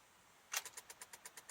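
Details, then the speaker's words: 2006 Honda Odyssey with a charged battery, won't start: turning the key brings rapid even clicking, about eight a second, with no cranking; the battery terminal had separated internally, and a new battery fixed it. "tried to turn it over and got a click ignition still in position three"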